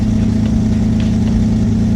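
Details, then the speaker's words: Twin-engine Mazda MX3 on 87 pump fuel, idle being tuned via Raspberry Pi touchscreen dash: after adding fuel past lean misses, smooth even idle with steady low hum, no misses, idling properly, perhaps slightly high. "Now it's idling pretty good."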